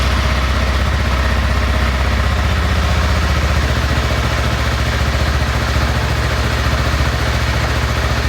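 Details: 2014 BMW G 650 GS single idling just after an oil and filter change, with the oil not yet fully topped up: steady, even low thumping with no knocks or misses. Normal idle.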